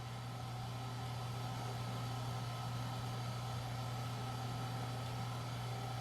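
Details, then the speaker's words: AST Adventure 8100p PC, first power-up during reassembly: a steady, even fan whoosh with a constant low hum and no rattles or ticking. The CPU fan now runs fairly quiet; the power supply fan, still uncleaned and to be re-oiled, is the main one heard. Normal. "The fan that cools down the CPU actually seems to be running fairly quiet now. The only fan I can really hear is the power supply fan, and that'll be oiled again as well."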